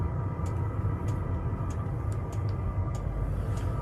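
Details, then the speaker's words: Cheap Chinese diesel heater mounted under a van on a plate, fed with diesel straight from the tank: constant low combustion roar with light, fairly regular fuel-pump ticks, no stumbling or popping. The heater is running properly. "You can hear it now roaring away."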